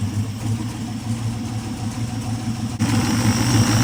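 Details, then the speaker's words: Aluminum 6.0-litre LS engine (LFA, from hybrid Escalade) test-fired on run stand with mufflers: even running with a quick rev rise, earlier tapping noise quieting and basically gone; valve covers later show oil reaching the top. "But it's definitely, the noise is definitely quieting down. Oh, it's basically gone. Yeah. And these mufflers make everything sound beefy on the run stand."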